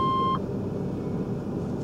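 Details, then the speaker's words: Chevrolet S10 pickup before EV conversion, starting the gas engine for a drive (fuel gauge not working): one mid-pitched beep as engine settles into low idle rumble; warning chime cause unknown. "so first let's just fire it up see how she sounds what are you yelling at me about"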